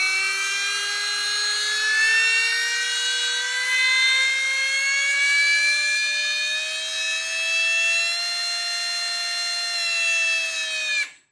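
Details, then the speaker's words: Primal RC monster truck with Lehner 30100 brushless sensored motor and MGM 1000 A ESC on 12S lipo, no chain attached: clean electric whine climbing smoothly as the unloaded motor spools up, then cuts off. Normal no-load spin-up. "and here's what it sounds like on 12s with no chain attached just the motor spooling"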